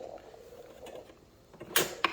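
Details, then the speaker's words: Sur la Table dual boiler espresso machine (Costco) after a shot: faint hiss as water is sucked from the group head into the drip tray, then two sharp clicks about a third of a second apart; normal three-way solenoid valve release. "Okay, you can hear it sucking it out."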